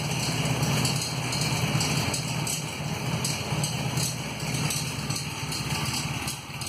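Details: 1994 Honda Magna V4 motorcycle idling with an uneven metallic ticking rattle from a broken front cam chain tensioner.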